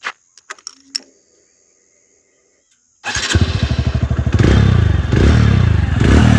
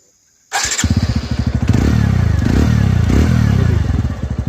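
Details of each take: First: 2021 TVS Radeon BS6 single-cylinder motorcycle: after a few cranks catches and idles unevenly, metallic clatter riding over each thump; engine clatter, source unclear. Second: 2021 TVS Radeon BS6 motorcycle: starts quickly and settles into even, steady thump with no metallic clanking (khan-khan) noise it previously made; sounds healthy now.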